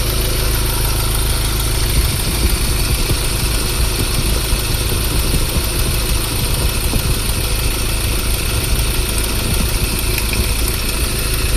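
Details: Ford Ranger diesel idle before repair: constant rough rattle and whir from front belts, pointing to failed alternator overrunning pulley and worn tensioner bearing.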